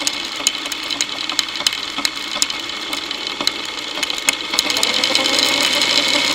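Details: Motorcycle drive chain running unlubricated, via a homemade electronic stethoscope microphone: sharp uneven ticks about two to three per second over a whirring drive that rises near the end. Owner suspects tension, dirt causing grabbing and jumping, or a worn front sprocket.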